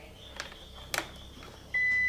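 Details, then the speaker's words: Yamaha Vixion with stumbling and dying on throttle: multimeter continuity test on red wire between regulator/rectifier and battery reads 000 with a clean steady beep; wire intact. "Nah, itu 000 hasilnya ya. Dan bunyi tit kayak gitu. Nah, itu berarti kabel merah di sini di kiprok dan di aki yang mengarah ke aki itu nyambung."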